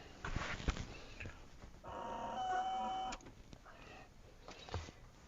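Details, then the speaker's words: 1984 Evinrude 15 hp outboard fuel pump after rebuild, tested off the motor: air blown through the check valve gives a steady reedy screech just over a second, showing the valve seats and flows correctly. "you can blow through this and you'll hear kind of a screeching noise"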